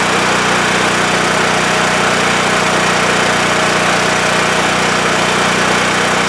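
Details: WEN TF1450X 14500W tri-fuel generator, repaired after running 20 seconds then losing spark and dying: steady, even buzzing drone, no surging, hunting or stalling; healthy and settled under its governor, display reads 232 volts.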